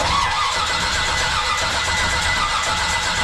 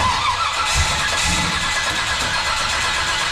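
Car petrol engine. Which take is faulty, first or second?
first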